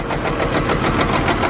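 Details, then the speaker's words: Caterpillar C15 diesel truck, scan tool shows four dead injectors, run off a bucket with injector cleaner: lumpy, uneven idle with irregular heavy knocks about six a second, running really rough; misfire from clogged injectors. "Well, we got that all going. It fired up, and it's just running like rough, like really rough."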